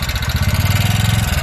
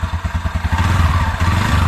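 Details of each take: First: 2019 TVS Ntorq scooter at idle, also burning oil quickly: hard rapid clattering about twenty times a second; worn piston rings and slack timing chain, to be fixed with piston and ring fitting and timing chain work. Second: 2019 TVS Ntorq scooter that had a noise and oil-burning problem, after piston and ring replacement and timing chain setting: even, steady thumping idle with no knock or rattle, the earlier noise gone; normal idle.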